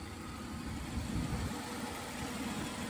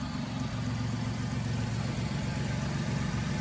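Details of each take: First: Hurricane Ian flood-damaged Buick Riviera V6 started up: quiet, even idle with steady low hum, no knocks or misses; engine runs nicely. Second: Flood-damaged Buick Riviera with the 3800 V6, freshly started with a little smoke when revved: a steady idle with a light quick ticking. The cause is a small exhaust leak at the back of the engine.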